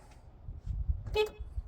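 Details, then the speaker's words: Horn on a 2011 Bayliner 185 boat being tested: a single short, clear horn blast over a low background rumble, steady in pitch; horn working normally. "Horn's working."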